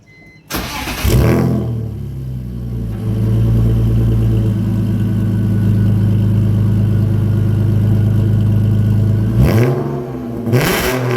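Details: BMW E46 drift car after exhaust pipe rework near the bell housing: engine cranks, catches cleanly and settles into a smooth, even idle with a couple of quick blips near the end; healthy start and idle.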